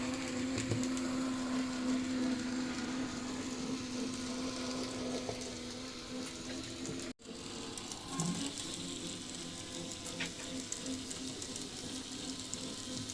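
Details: PIKO BR62 model locomotive motor-gearbox unit, lacking lubrication: small motor whirs with steady buzz and faint gear chatter; motor noise, source uncertain, seems somewhat smoother after disassembly.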